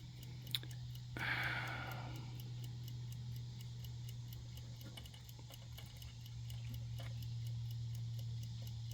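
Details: Discarded clock being restored, running while being reassembled after a small gear goes back on its shaft: light, steady ticking at roughly three or four beats a second in a quiet room; the movement runs normally.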